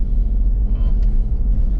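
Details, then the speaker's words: Jeep Rocky Mountain edition, 183,000 miles, on a test drive after installing a rebuilt front electronic limited-slip differential. The old whining hum is gone; only low road and tire rumble while cruising, so the front differential sounds healthy. "But that noise is totally gone. It's fantastic. I hear my tires, but that's it."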